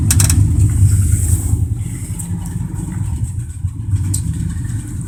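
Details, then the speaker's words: 1987 Dodge Ram D150, 318 V8 originally from a 1971 Dodge motor home, manual choke: a deep, uneven V8 rumble just after a choked start, the beat wandering; a cold-blooded engine still warming up. "cold blooded just like all Dodges but it runs good runs great it's got a 318 in it"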